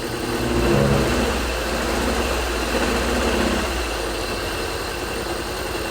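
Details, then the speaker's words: 1985 Subaru AWD turbo coupe, 44,000 miles, parked since the early 1990s, first revival: uneven lumpy idle with a pulsing beat after a rev; a cylinder suspected missing, not confirmed. "I still think it's a cylinder missing [Music] somewhere sounds good though listen to that"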